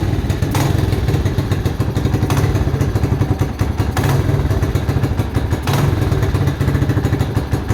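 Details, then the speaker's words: Mojave 250 single-cylinder, year unknown, after timing chain replacement (old chain loose, jumped time): uneven idle with a heavy thump about every 1.7 seconds and backfiring; owner doubts it will idle and suspects timing is off. "it doesn't sound like it's in time right see it backfiring see I don't think it's gonna be able to idle"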